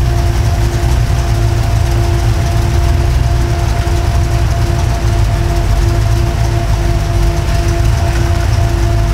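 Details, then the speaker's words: V8 with FiTech EFI after correcting the arcing plug wire misfire: deep, steady rumble with an even beat and no stumble, all cylinders firing. It initially runs rich as the computer pulls fuel back out toward the correct air-fuel ratio. "now that we're firing on all cylinders our Airfield ratio will be correct the engine will be initially running rich"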